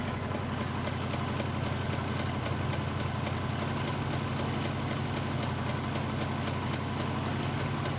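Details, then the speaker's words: V8 with backfiring, warm, spark plug leads pulled one at a time: uneven lumpy loping idle near four beats a second with cylinder 1 disconnected, engine dislikes it strongly. "Over here, we'll start with number 1. Oh. It does not like that. Not at all."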